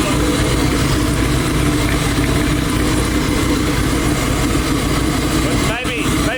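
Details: Twin-turbo Nova V8 on methanol, idling right after its first start in two months with no coolant circulating: a steady, lumpy idle holding an even beat with no knocks or misses; it runs normally.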